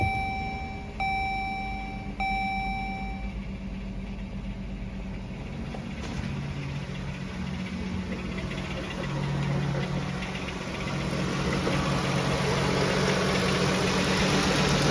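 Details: Pentastar V6 starting after warning chimes and idling with a steady, rapid knock; several second opinions say most likely a piston wrist pin, not confirmed.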